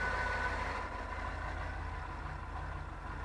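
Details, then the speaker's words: Cold start after new injectors and intake gaskets fitted to RV (Nomadic Fanatic's RV): steady even low idle rumble with no misses, knocks or stumbles, settles smoothly; normal cold start idle. "check engine light that is a dead cold start and it sounds good"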